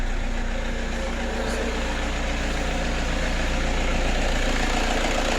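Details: Toyota Vigo Champ diesel pickup idling after replacing the alternator pulley, whose failed one-way clutch bearing let the pulley spin without the shaft and caused noise and a battery warning: smooth, even low pulse, no squeal or rattle; noise gone.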